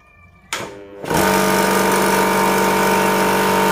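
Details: Electric PCP air compressor filling toward about 2000 PSI, its on/off switch held pressed at startup. The motor spins up in about half a second, then settles into a loud, steady, even hum with no knocks: normal running.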